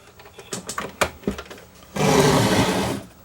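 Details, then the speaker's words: Lloyds R849 record player drawer test: a few light clicks, then about a second of even motor whirring as the drawer opens. The drawer mechanism works normally, though the player needs a drive belt. "Will it open? Oh, it does. So that part works. Cool."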